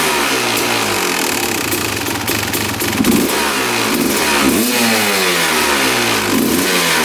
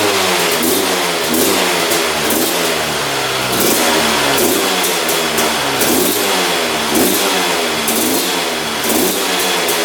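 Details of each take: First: 2001 Honda CR250 two-stroke revving out during power valve check: crisp rises and falls to the top without bogging; power valves open fully and return, working properly. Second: 2001 Honda CR250 two-stroke that the seller said would not run, just fired on the choke; raspy revs rise and fall in lazy blips, smoking a lot, with poor throttle response; owner suspects rich running or fuel mixture, unconfirmed.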